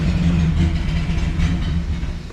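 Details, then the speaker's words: 1966 Mustang at its first start in 40 years, smoky and running rich with a high idle: a rough, low idle rumble sags and fades as the engine loses speed and stalls. "NOP she's starting to die okay you know what we'll take it for a first start up we're calling that a victory baby"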